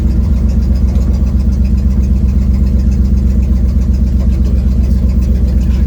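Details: 1972 Ford Mustang driving home, phone mounted in the dash, leak not yet fixed: sharp puffing tick about four a second on the engine note, staying loud under throttle, like a leaking exhaust joint. Exhaust leak.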